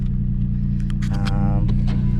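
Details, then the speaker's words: Wrecked 2006 Toyota Tacoma X-Runner, six-cylinder, bought sight unseen and apparently with its mufflers cut off, idling: a heavy, deep, loud unmuffled rumble with a coarse throb. "look at that she runs attack there they also cut all the mufflers off it sounds like"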